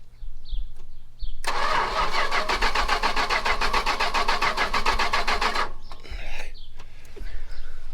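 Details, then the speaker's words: Carbureted 440 big-block V8 from a 1974 Chrysler New Yorker being revived after sitting: four seconds of fast, even starter churn, three to four turns a second, then it stops without firing because there was no key and the ignition was off. "Probably because there's no flipping key in it, doesn't help."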